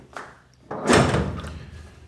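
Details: Tilting garage gate with 20 years of use, heavy clunk and short scraping rattle as it comes down; arm pivot bushings worn and unlubricated, owner fixes with PET-bottle strip bushings and oil.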